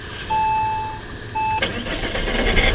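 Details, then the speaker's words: Saab 9-3 started with the key: two dash chimes, short crank, engine catches first turn into a steady idle with no black smoke; clean healthy start. "I started every morning and he starts on the first turn the key and you can see there's no clouds and clouds of black smoke comes out of it"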